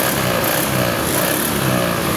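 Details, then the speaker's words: Honda Beat ESP scooter that kept blowing 10A fuses, after fault found and fixed: indicator light comes on, electric starter works normally, engine runs smoothly with steady even buzz, no misses or knocks. "Kita on off-kan di sini lampu indikatornya langsung menyala. Kita starter. Starternya normal."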